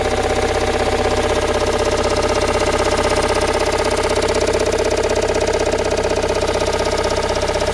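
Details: Toyota Raum 5E-FE engine after rebuild, at idle: an even, sharp knock about four times a second rides over the steady idle; source not pinned down.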